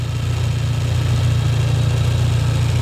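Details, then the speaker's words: 1993 Suzuki Katana GX (Jimny) small petrol engine idling: low, even hum with steady beat and no knocks or rattles; engine sounds smooth and healthy. "suaranya juga masih halus. Nah, suaranya halus teman-teman."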